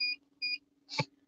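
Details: Semi truck APU inverter, a new unit the driver calls junk: two short high beeps half a second apart, then a thud over a faint steady hum; inverter alarm beeping, cause unknown.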